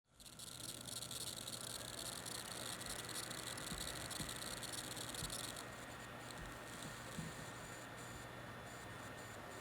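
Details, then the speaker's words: Kaby Lake Dell XPS 13 laptop: high-pitched electronic whine and hiss with several tones, easing partway through; coil whine from vibrating inductors on the board that regulate current. "that you just heard is coil wine it involves literal components on the board namely inductors which oversee current regulation at certain power delivery levels however inductors will vibrate creating high pitched squeals"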